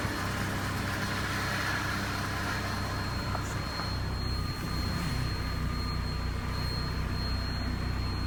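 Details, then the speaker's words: 1991 Mercury Capri base model, 5-speed manual, 52,000 miles, side-collision car, idles quietly and evenly with a low steady hum and no knocking; an exhaust part, possibly a catalytic converter plate, rattles. "the engine itself iser nice quiet you can tell this is Somebody's Baby"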